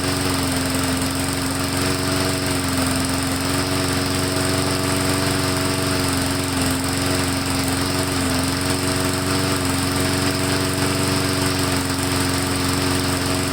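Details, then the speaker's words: Lawn mower run right up until it was replaced, small engine drones steadily but pitch drifts up and down every few seconds, governor hunting and mild surging; owner suspects a clogged air filter from dusty, dirty conditions, unconfirmed. "So before I do anything, I'm going to pop this air filter off and see if it's clogged, because it is surging and, you know, hunting a little bit, and it almost sounds like the air filter might be clogged."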